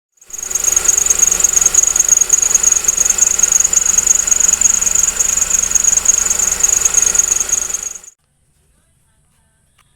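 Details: Loud, piercing high squeal pulsing about three times a second from under the engine: a dry, worn belt tensioner bearing, temporarily quieted by removing the compressor belt and seal and regreasing it; replacement is the best fix.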